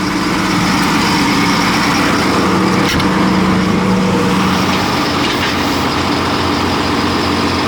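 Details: Farm sprayer diesel engine, first start after replacing a leaking hose with a heat-caused pinhole and swapping fittings: a loud, steady drone at even pitch without surges or knocks; runs normally, and the boom now raises and lowers again.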